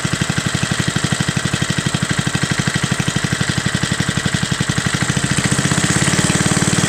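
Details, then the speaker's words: Front-tine tiller with old Briggs & Stratton, cold start, run last week: crisp even single-cylinder putter picking up slightly, no misses or knocks; well kept, runs smoothly. "so that thing runs really smooth you know it's amazing that these older briggs and strattons that you know they're it's tripping but it's amazing that these old engines they just run so well"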